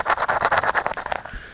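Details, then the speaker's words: Clutch throwout bearing from a Hemi GTX, turned by hand before replacement with a NOS bearing: gritty, scratchy crunching in uneven bursts; rough, worn throwout bearing. "so her shift will be going in uh i needed a new the throw out bearings really crunchy if you hear that"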